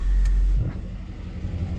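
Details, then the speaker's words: 2006 Chevy LBZ Duramax diesel at idle on its third tune: steady idle dropping into a heavier low rumble as the turbo tone changes, showing the vanes still move; the owner suspects a bad sensor (stuck reading 76%). "so I'm going to turn it to the third tune which has a rumble idol here"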